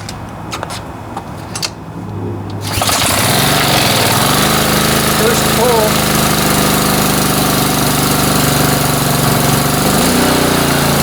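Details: Year-old Honda pressure washer that wouldn't start after storage due to a plugged carburetor main jet, choke on, water flowing: one pull, catches at once and runs steady without surging or stumbling; normal running.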